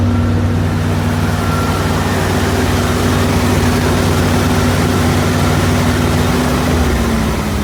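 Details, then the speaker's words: 1979 Corvette L82 V8 idling on its own after choke spring corrected and idle screw lowered, choke open; deep steady burble at a fast idle that won't settle lower, vacuum leak found at a clamped rubber hose with carb cleaner. "yeah it definitely needs to go a little lower but we're getting there found a vacuum leak i sprayed some carb cleaner in this this suspect area"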